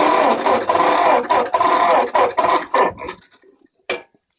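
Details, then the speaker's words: 1952 Ford 8N tractor that grew harder to start over months, with a replaced carburetor and a new 6-volt battery, fuel on, in neutral at half throttle: the starter churns steadily for about three seconds but the engine never fires. Cranks, no start. "I would think by then it really should start I'll try to move this close so you can hear what's happening"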